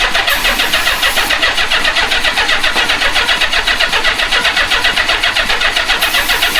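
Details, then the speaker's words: Old marketplace Honda Goldwing motorcycle, rat debris cleaned from the airbox and starting fluid sprayed in: steady starter whirr with even compression beats, about four a second, that never catch. It cranks but won't fire; owner suspects an ignition problem and plans to check spark. "Let's see if we're getting spark cuz it's not firing."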